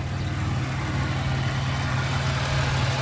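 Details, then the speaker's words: Car with 3800 engine swapped to a supercharged 3800, check engine light on, codes read random multiple cylinder misfire: deep, uneven stumbling rough idle with smoke; owner suspects it needs a tune, possibly a module. "So Random multiple Cinder Miss fire detected what the [ __ ] so I guess we got uh misfires coming on"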